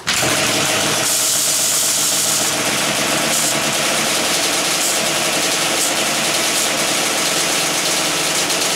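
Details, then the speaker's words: Freshly built Yamaha Banshee two-stroke on first start (Vito's SS pistons, VF-4 reeds, T5 pipes, +4 timing, new OEM carb parts). Busy, rattly idle with metallic ticking over the crackle. Source unfound. "all right guys we're back it's like an hour later hour and a half I don't know um I couldn't figure out what the noise was"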